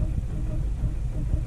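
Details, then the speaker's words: 2007 Ford Fiesta 1.4 TDCi diesel with cylinder 1 injector unplugged while cylinder 2 is weak: low, lumpy, uneven idle with irregular thuds, rougher than before; two-cylinder misfire, suggesting cylinder 1 injector is good. "even more lumpy now if you can see the camera shaking um that's that's even worse yeah so I'm thinking cylinder one is a decent injector and cylinder 2 is still contributing a bit but not a lot"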